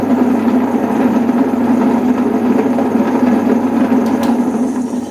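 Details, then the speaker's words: Table-top wet grinder making a lot of noise before repair: loud, constant humming drone with a rough, gritty edge throughout; worn motor ball bearing (6004) that is being replaced. "இதுல வந்துட்டு bearing போயிட்டு இருக்கு இதுல இப்ப நம்ம வந்து இதை எப்படி பேரிங் வந்துட்டு மாத்தலாம்ன்றத நம்ம பார்க்கலாம்"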